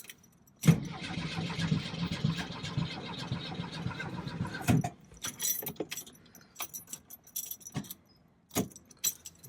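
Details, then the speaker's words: 1965 VW Beetle that had sat for a while: the battery is fine, but it cranks with a harsh, uneven sound, then breaks into short stuttering bursts and never starts. The owner suspects a bad connection. "I don't know what that noise is turns over good then I try it again and it sounds really"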